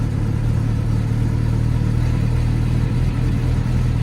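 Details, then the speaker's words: Mercedes CLK200 C209 manual, idle with a steady low unchanging hum attributed to an aftermarket fuel filter, plus a lumpy idle; car earlier had a faulty coolant level switch repaired. Cause suspected, not confirmed. "humming from the fuel filter, which is what happens when you use an aftermarket fuel filter on a Mercedes CLK."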